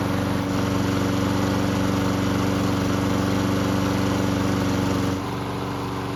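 Mower engine holds an even, steady hum for several seconds without hunting up and down, then settles lower; runs steady, no surge.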